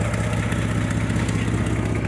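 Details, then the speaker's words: 1995 Mercury Villager that runs fine cold but falters warm, with its oxygen sensor stuck at 0.33 V, heard from underneath: steady low idle with a quick faint puffing tick from an exhaust leak. The oxygen sensor was found installed inverted. "de que trae una fuga en el escape se escuchan"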